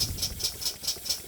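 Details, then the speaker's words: Small steam engine being run in, still tight; light metallic rattle pulsing about four and a half times a second, even and steady. "So the idea of running this is I'm just going to let it"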